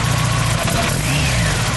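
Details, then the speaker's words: Turbo Mazda Miata after rerouting and fixing its belts: a steady, even idle with a low, smooth hum and no loud belt squeal or chirp; running much better. "There we go. This thing is running so much better now. It's not having that really loud squeal."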